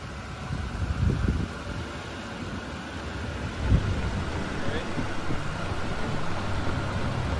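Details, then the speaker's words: 2011 Chevrolet Impala 3.5L V6 on a test drive after new rotors and pads on all four wheels: only steady tyre and wind rumble, no squeal or grinding; the brakes are now quiet and healthy. "the brakes are now i took it for a test drive the brakes are absolutely quiet now which is really really nice doesn't sound like i'm driving around a piece of"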